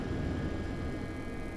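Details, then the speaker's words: EcoFlow River 2 LFP power station charging from wall AC at maximum input, recorded in a quiet room at its loudest: a soft steady airy hiss and faint whir with no rattles or pulsing. The cooling fan noise is normal. "now I'm in a quiet room and personally this fan noise seems pretty low and acceptable for the power that's going into this unit"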